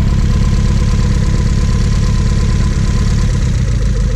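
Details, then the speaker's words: Honda Civic with flex-fuel injectors, sat for years, misfiring and stumbling: uneven idle with skipping exhaust beat, one dead cylinder; pulling injectors located it, injector connector pins pushed back. "so he said that it's been misfiring and stumbling a little bit so fired it up and it kind of sounds like this you can probably hear it on the exhaust she's got a dead miss"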